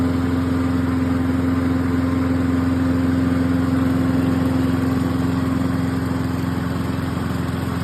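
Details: Cheap used Toro lawn mower after fitting a new carburetor, spark plug, air cleaner and fuel shut-off: a steady, even buzz at constant speed with no misses or knocks. It runs cleanly.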